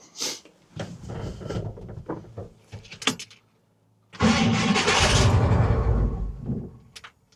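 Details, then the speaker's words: 1970 Chevy C20 big-block truck, long parked: rough, uneven cranking bursts, then a longer grinding crank that never catches. Owner suspects a slightly misaligned starter needing spacer plates. "You know, one thing I will say is it kind of sounds like the starters kind of misaligned slightly, like maybe it needs um some starter spacer plates."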